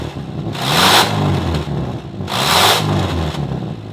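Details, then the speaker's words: 2002 Subaru Legacy GT Limited revved twice: loud, raspy engine with a hissing, blatty exhaust noise swelling on each rev from a very big exhaust leak; a clogged catalytic converter is to be replaced to quiet it. "And in case you didn't know, this car has a very big exhaust leak, and I'll run that clip real quick."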